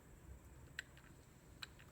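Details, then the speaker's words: Old idler pulley from a 1999 Cadillac DeVille 4.6L Northstar V8, removed and turned by hand: sharp irregular clicks from a worn bearing with a lot of play, the source of the squeak and squeal that worsened on test drives. "So, the squeak turns out to be the idler pulley. Um you can actually hear the play."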